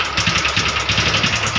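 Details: Honda Wave 125R that was parked about 3 years and wouldn't start, after repair: small single ticks over at a steady, even beat of roughly ten pulses a second, no knocks or misses. Normal idle.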